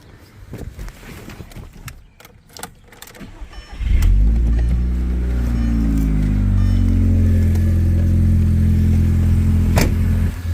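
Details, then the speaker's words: MK1 Audi TT Quattro with new Maxpeeding rods and a mildly ported, fully rebuilt head, on break-in oil; a few seconds of jingling, then a quick catch, brief flare and smooth, even idle. Sounds healthy, though the first start idled badly. "But anyway, got it up and running. Sounds good. I got some braking oil in it, so I have to drive it about 500 miles to break in, and then of course drain this oil and put some synthetic oil in."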